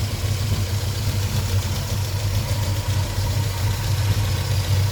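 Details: 1973 Volvo 142 B20 Sport with twin SU HIF6 carburetors: low idle with an uneven, lumpy pulse and wobbly rhythm; rough idle caused by excessive fuel pressure.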